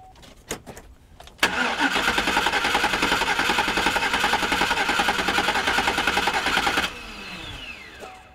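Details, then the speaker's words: Pickup engine cranked with a portable jump starter pack: fast, even cranking about three and a half beats a second for over five seconds; strong normal cranking. "so you can hear a huge difference in how this engine turns over with the two now"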